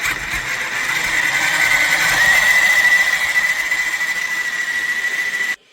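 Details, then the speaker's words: Reely FreeMen 1:10 RC crawler, brushed motor, after greasing dry axles with Tamiya grease: high steady squeal while motor runs, perhaps slightly quieter; drivetrain still squeaking, dry axles suspected. "ja ich weiß es jetzt nicht doch ein bisschen leiser aber jedenfalls haben wir was fürs Gewissen getan"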